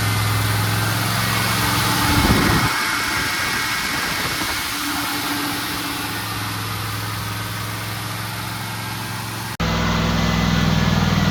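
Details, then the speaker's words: Pontiac Trans Am turbo V8 after partial overhaul (revised heads, new camshaft, valves adjusted, new turbo), first start during 30-minute break-in at raised RPM, good oil pressure: even, smooth fast idle, no knocks or misses yet; normal fast idle. "Now I let it run for 30 minutes in this RPMs and then braking time is done. Sounds good so far. Oil pressure is great."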